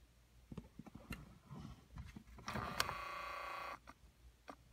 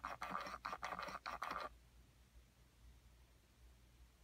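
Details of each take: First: 2009 Ford Escape, microphone inside dash by HVAC box at the temperature blend door actuator: short, even motor whir for about a second, stopping cleanly without hunting back and forth; actuator travels normally on this side. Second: Ford HVAC blend door actuator, recorded inside the dash by the HVAC box: quick whirring bursts about three a second, then quiet, as the actuator hunts on the hot side of its worn track, causing erratic temperature.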